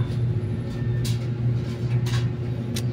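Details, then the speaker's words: Panasonic 14 kg automatic washing machine with pulsator removed, stopping intermittently and noisy during spin: low steady motor hum with brief clattering bursts as the spin clutch is not pulled fully and does not move away, so the spin labours. "guys anan so humihinto na naman siya dahil gawa nung hindi niya doon mahihila ng husto yung pinaka y pinaka clutch niya aan oh an hindi siya lumalayo dapat lalayo yan diyan eh"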